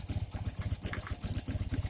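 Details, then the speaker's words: 1984 BMW R80RT airhead twin after cleaning rust from Bing carburetor float bowls and fixing float leak, idle raised slightly; even, steady low thump, no miss or stumble, balanced, no smoke: normal idle. "For right now, pop the idle up slightly, and sure sounds like it's balanced better. It ain't blowing no damn smoke out like it was the other day."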